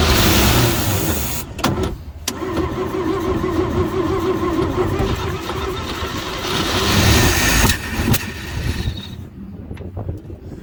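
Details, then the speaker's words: 1949 Chevy truck, first start attempt after 20+ years sitting: the engine catches briefly, then stumbles, sputters and cuts out when throttle is given. Fuel pump not drawing; owner suspects a dried-out diaphragm. "It's cutting out though when I'm giving it."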